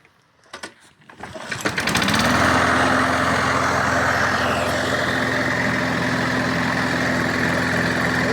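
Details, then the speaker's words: Briggs & Stratton 675 series engine on an MTD lawn mower, after cleaning and reassembly for hard starting and stalling at idle: a few pulls, then steady, even running, no misfire or surging, no longer smoking; worn rings suspected. "зрозуміло що газонакосилка працює вже не димить це випалювалось масло випалювалось масла"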